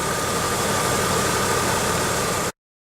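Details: 1995 Pontiac Grand Am SE 3.1 L after removing temporary coat hanger from catalytic converter: steady even idle with faint constant hum, no squeak or chirp; normal idle, alternator fine.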